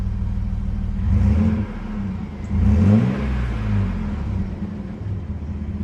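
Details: V6 Chevy S10 after welding in a new 18-inch 409 stainless Total Flow muffler: deep, even rumble with two quick throttle blips settling cleanly, no rasp, leaks or rattles; normal exhaust note.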